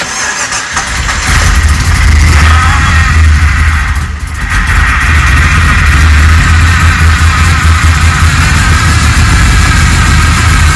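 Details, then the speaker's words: Rebuilt Holden VT Clubsport V8 on first start-up, base timing set, bigger injectors. Loud, lumpy idle with an uneven, stumbling low thump; sounds like a misfire, and owner suspects the cleaned, previously failed spark plugs. An injector was later found leaking. "sounds like it's got a Mist doesn't it me but um it might be the plugs"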